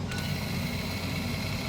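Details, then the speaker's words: 2021 Toyota RAV4 AWD rear electric parking brake caliper motor, powered from a car battery via alligator clips, polarity swapped after it stalled: continuous even hum running freely, correct direction, normal operation. "Because it stopped right away, you're going the wrong way. But now you're gonna hear the motor just gonna keep going."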